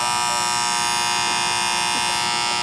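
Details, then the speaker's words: Amana condensing unit that cut out on low pressure, after leak repair and recharge: contactor gives a constant high-pitched buzz while pulled in. Ants inside and pitted, burnt contacts found; contactor replaced under warranty. "Alright, we got the charge right, but I see why the contactor's humming. If you look right here and you watch these little fellas crawl, you can see we got ants in here."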